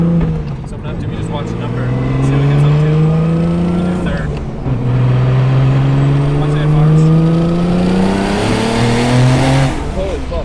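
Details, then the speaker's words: Turbocharged car; the owner suspected the wastegates open prematurely and was watching boost. The engine climbs through the gears, then on lift-off the revs fall unevenly and hang instead of dropping cleanly. The tune is believed incorrect and needs dialing in. "it's still kind of just weird red hanging stuff when I come off throttle yeah it doesn't feel too this sounds kind of scary"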